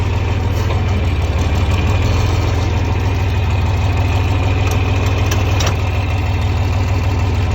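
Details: 1961 John Deere 4010 tractor with 7700 combine engine swapped in 2015, starts easily: steady, even diesel chug at idle with deep low rumble, no knocks or misses; normal idle.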